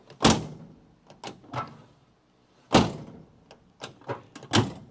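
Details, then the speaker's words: Driver's side door on a Dodge Charger crew-cab build shut repeatedly: a heavy clunk lands before the latch engages, because the door sags on worn hinges from the previous owner's use and needs reshimming; other doors latch cleanly. "It's making a clunk before that latching mechanism moves. Now, once again, that's because the guy who owned this didn't really use the other doors. That door is worn out."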